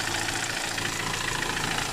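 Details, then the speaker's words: Car AC after replacing a weak, loudly clacking compressor, vacuuming and recharging to 200 pressure: smooth, even hum at idle with the new compressor engaged, no clacking or knocking. The compressor is quiet and cooling well. "ตอนนี้เติมน้ำยาแอร์เข้าไปก็คอมแอร์เงียบนะครับเสียงเงียบมากเลยแรงดันก็โอเคครับ"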